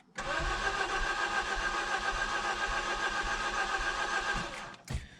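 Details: Mazda 3 that made noise, lost power above 65 mph with power steering and oil warnings, then died; coolant had been full but is now low. The starter spins quickly and lightly for about four seconds with no firing, fuel pump heard: crank no start, low compression.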